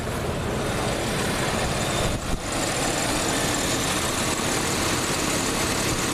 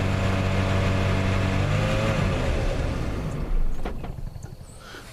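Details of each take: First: Stock 1987 Plymouth Gran Fury V8 with an audible smog pump, which stalls when loaded though a carb issue was suspected: smooth, steady idle, even low rumble, no knocks, misses or surging. Starts right up. Normal idle. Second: 1987 Plymouth Gran Fury, 98,000 miles, mostly original, drivability problem, earlier suspected carb: drones at raised rpm with steady throttle, then sags and dies after about three seconds; stalls.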